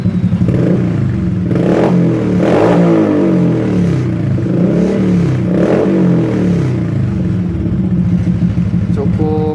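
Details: Honda Supra X 125 motorcycle with an aftermarket exhaust: loud, deep exhaust note rising and falling smoothly with repeated throttle blips; healthy revving.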